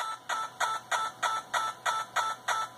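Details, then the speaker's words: Yaesu FT-891 HF transceiver in receive on a 30 A switching supply: crisp, evenly spaced clicks about three per second over receiver hiss, starting when computer CAT polling is enabled and stopping when disabled; digital noise leaking into audio. "I come over here and I go down and I enable an m1 plus and 1 mm plus again now it's interrogating the radio"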